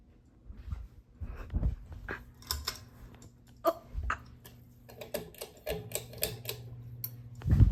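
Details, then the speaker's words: Harbor Breeze Edenton 52-inch ceiling fan installed in a master bedroom, running with scattered light ticks and clicks over a soft motor hum, described as a little noisy; cause unclear. "Oh, it's a little noisy. Hear that? Sounds a little noisy."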